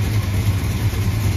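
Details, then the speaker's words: 1976 Dodge Dart Swinger 340 V8 idling after small tune fixes including vacuum advance: deep, even burble with steady rhythm, no misfire or ticking; now runs sweet instead of grumpy. "yeah there's the difference between a grumpy hunk of fairly drivable junk and a sweet running car"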